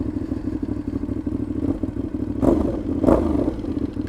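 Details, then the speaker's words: Motorcycle while riding: loud, raspy, uneven exhaust bark with thuds, like an open pipe; play found between silencer and catalytic converter, retightening the clamp did not help. Suspected exhaust leak. "c'est comme si j'étais en échappement libre"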